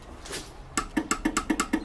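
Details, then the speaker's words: Toyota Hilux during a wiring loom rebuild, with the battery connected after 12 years and the key turned to start: crisp, evenly spaced clicks and no cranking; the starter relay works, and the right wires are still to be found. "you can hear the starter relay there is working month so I just need to find the right wires"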